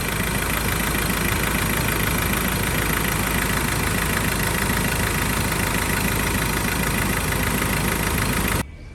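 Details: 2013 Ford Ranger XLS 2.2L diesel, ex-mining truck, engine checked from the front: steady diesel clatter at idle with an even beat, no knocks or odd noises; healthy, owner says still powerful.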